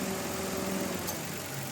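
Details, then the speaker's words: Mitsubishi Mirage G4 idling after new fan belt and oil change: quiet, even idle with soft steady hum, no belt squeal or chirp; previous start-up noise gone, engine healthy. "Actually satisfied na si customer sa makina dahil nga sa pag-start niya, wala nang ingay."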